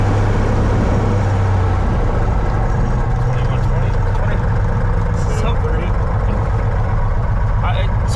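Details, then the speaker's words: 1961 Cessna 172B after a six-month restoration, first full-throttle run-up outdoors in winter cold with snow: a deep, steady roar with no misses, surging or knocks; the engine sounds healthy. "enough snow on the ground and it's slippery enough that full throttle you can't hold it hold it still"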